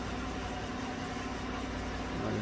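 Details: 2016 Chevrolet Silverado Z71 4x4, 5.3 V8, about 135,000 km, after replacing all right-bank lifters for a collapsed #6 exhaust lifter that caused tick and misfire: smooth, low, steady idle with no ticking while warming up; normal.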